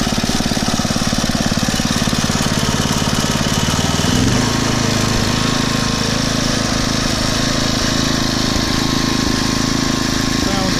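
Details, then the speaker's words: Poulan/Weed Eater VIP garden tiller, 5 HP Briggs & Stratton single-cylinder, 15+ years old, just started on old gas after tune-up (new plug, air filter, oil, mixture-screw adjustment): quick thumping settling to a slower even beat, no hunting; normal idle. "and that runs much better now not revving up and down like it"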